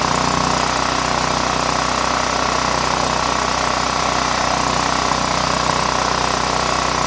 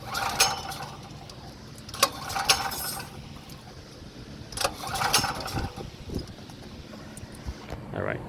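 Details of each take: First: Power Mate VX Series generator after carburetor cleaning, idling to burn off roughly eight-year-old gas. A steady, even drone with a constant mid-pitch hum and no stumbles or surging. A smooth, normal idle. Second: Power Mate VX generator after carburetor cleaning, including the fuel-bowl solenoid, with starter fluid sprayed in. Repeated recoil pulls give brief rasping bursts with no firing because the side on/off switch was left off. Cranks but no start.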